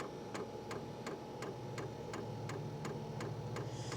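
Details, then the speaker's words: Hcalory Toolbox Compact 2s diesel heater on its first-ever run, fuel pump priming a dry system during the up-to-5-minute startup; mic right at the pump, so steady light ticks near three a second over low hum sound louder than in reality; normal fuel pump ticking. "Now you hear it ticking pretty loud because my microphone is literally right here, so you can hear it. But honestly, it's pretty dang quiet."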